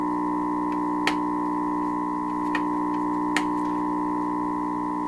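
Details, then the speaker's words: 1928 RCA Victor Model 28V radio during trimmer alignment with a signal generator, volume full: steady high whistle over a hum with faint clicks; not operating properly, alignment still in progress; whistling noise. "But there's whopping noise going through here too. I mean, this is not what this is supposed to sound like, right? This is not operating properly."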